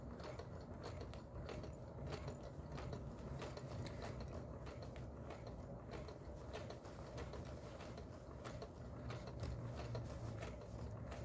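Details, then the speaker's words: Singer 431G with internal motor converted to low voltage, sewing through four to eight layers of denim across seams: fast, even stitching clatter holding pace without bogging; normal sewing under load. "we'll be going through some eight layers of denim in some places across seams and I just wanted to show you how well it works"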